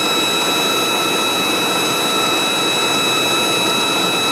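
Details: 1997 5.7 Vortec engine, running after warming up: loud, steady high-pitched whine over the engine that seems to come from the top middle of the engine; doesn't start until warm; source not yet pinned down.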